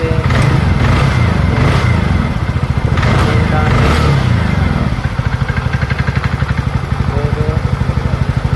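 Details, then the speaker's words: TVS Ntorq 125 BS6 scooter after top cover refitted to fix an engine sound problem: steady, even single-cylinder idle with smooth low beat, no knocks or rattles; engine now sounds healthy. "দেখতেই পাচ্ছ সাউন্ডটা কত সুন্দর এসছে।"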